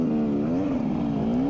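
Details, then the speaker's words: Off-road dirt bike around lap 3 at Gopher Dunes, bike and oil getting very hot, clutch out of adjustment: revs rise and wander in a high drone without matching pull; clutch slipping, ran perfectly after Allen-key adjustment. "it's not a happy bunny. But as soon as I fixed it, it was like mint."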